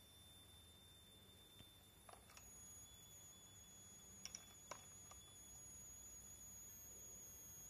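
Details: YH11087A 5A MPPT solar charge regulator fed by a 60 Wp panel into a 12 V 55 W H7 bulb load. With the output current limit raised, a thin, steady ~7 kHz inductor coil whine comes in and holds over a quiet room.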